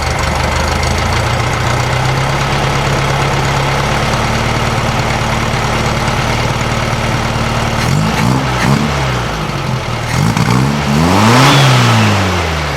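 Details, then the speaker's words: 1956 VW Beetle air-cooled engine after fixing the spark plug cap and timing: a steady idle, then blips that rise and fall without crisp pickup. It sounds much better but still runs too lean with no vacuum leak, so a larger jet is planned. "Wow, that sounds so much better than it did. So much better. But we're still clearly running entirely too lean."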